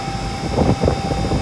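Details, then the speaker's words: Rooftop 5-ton AC unit (58.2 ANW 060) on a no-cooling call: indoor blower motor, after its burnt-out capacitor was dealt with, runs with a steady hum and whoosh, drawing 4.8 A with the door on versus 6.2 A rated; normal blower operation. "It actually made them go lower. She's alive and running."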